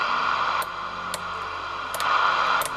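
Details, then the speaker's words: President JFK CB radio powered up: steady hiss broken by sharp crackles and level jumps as knobs turn; all potentiometers and switches scratchy and need cleaning. "Jak słychać Już potencjometr trzeszczy czyli czyli praktycznie wszystkie potencjometry od razu i przełączniki do czyszczenia"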